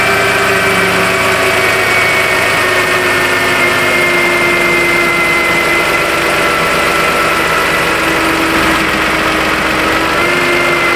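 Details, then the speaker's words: 2011 Toyota Sienna with battery and power steering lights, needed a jump start; idling with AC on while the PCM alternator control wire is plugged in: steady high moan whose pitch steps with load; alternator moaning, suspected bad. "But then we can also hear um we can also hear the alternator start to moan. I don't know if you guys were hearing that when I was plugging it in or out."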